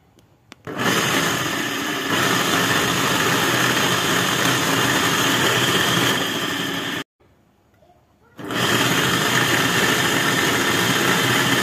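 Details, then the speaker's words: Electric water pump after repair, plugged in to test directly. A steady, even whirring hum starts, cuts out about a second, then restarts smoothly. The pump runs again. "ini pompanya Menyala kembali ya"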